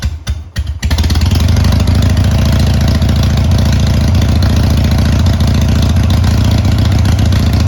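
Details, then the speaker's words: Harley-Davidson Sportster 883 after re-jetting the carb on the bike, with choke pulled (before, it would not fire without choke): a couple of cranking bursts, then the twin catches and settles into an even, steady idle. "Okay, well, it runs."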